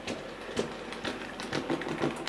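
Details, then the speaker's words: Model locomotive Sir Walter Scott running back and forth with the tender removed: light, rhythmic ticking clunk about twice a second; cause a split axle gear. "good morning drop it there can you hear that clunking noise stop it there and back again"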